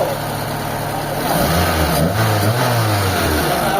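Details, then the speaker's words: Mitsubishi Lancer whose idle had earlier read only about 500: it now holds an even, calm idle with a steady low rumble and no misses or hunting; the engine is okay, with only minor timing and sensor tuning left. "Ayan mga boss, kalmado na. Okay na yung makina natin."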